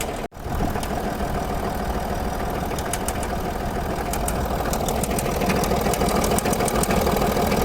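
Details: Land Rover Discovery 3 2.7 diesel at idle, mileage believed to be about 280,000 km, eni i-Sint 5W-30 oil: a sharp, fairly steady knock about three per second gradually gets heavier as the bearing shells spin; rod knock.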